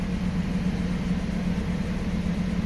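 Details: 2006 Chrysler 300 that cranked but would not start, after replacing the failed fuel pump: it starts and settles into a smooth, steady low idle with no misses, knocks or hunting.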